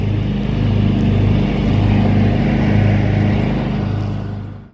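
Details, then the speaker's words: John Deere 325 lawn tractor test-mowing after a push-button start was installed to replace the failed ignition key switch; steady low single-cylinder drone pulling evenly through grass, then clean shutoff, sounds healthy. "That seems to work good. I'll run it outside and we'll test bowl a little bit with it, and this one should be good to go."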